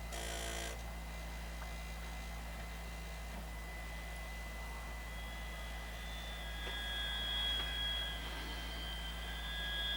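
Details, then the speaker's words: Sony BDP-S380 Blu-ray player, running after a failed PSU Schottky diode was replaced: the disc drive gives a steady low hum while spinning, with thin high whines coming and going, and sounds rough. Cause unclear. "This just doesn't sound very good, does it?"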